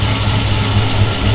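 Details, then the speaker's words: Dodge Coronet with 440 big block, just after last plug wire fitted: deep, even idle rumble with steady low pulses and no skips or stumbles; engine firing cleanly on all cylinders. "i like it that's how she was supposed to run she's a fire breathing dragon now"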